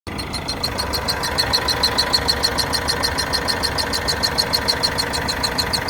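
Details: 2013 Vauxhall Corsa 1.3 CDTI diesel idling with a sharp, high-pitched tick repeating about three times a second; abnormal ticking, cause unknown.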